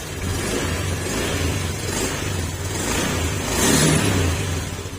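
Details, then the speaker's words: Fuel-injected Honda Beat scooter with misfiring and hard starting: the drone breaks up in irregular hiccups while revving, tested with a sensor unplugged. The TPS or injector is suspected, not confirmed. "try natin kung magbabago yung under ng motor kasi kita niyo parang sinisinok yung motor"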